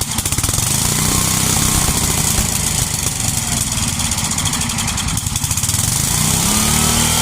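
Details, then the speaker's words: 33-year-old yard-sale Homelite 8 hp 4,000-watt generator, first start: rapid, steady single-cylinder firing with even clatter, no misses or surging; it runs and makes power, though it leaks gas, normal running. "All right. Well, so it works. It runs, makes power, leaks gas."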